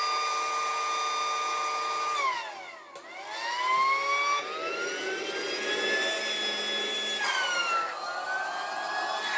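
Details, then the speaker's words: Battery-powered pool air pump after spraying an intermittent connection fault: motor whine holds steady, dips briefly, then climbs back and settles into an even hum, now starting every time and running normally. "Seems to be working every time now."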